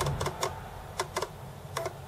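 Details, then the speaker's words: Acorn Archimedes A3000 floppy drive, not original to the machine and labelled unreliable, retrying after a read error; irregular bursts of sharp head clicks seeking without settling; cause unclear, later blamed on a poor disc shedding dirt. "this one said it was unreliable and it is unreliable i'm just not sure why how it's doing there"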